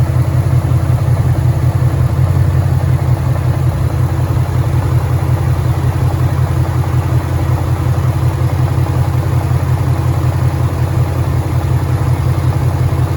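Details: 2013 Ford Mustang GT 5.0 Coyote V8, manual, 81,500 miles: hot idle after a drive with steady low rumble and a dull deep knock about twice a second; owner suspects rod knock, unconfirmed, and the car also stalls after long drives.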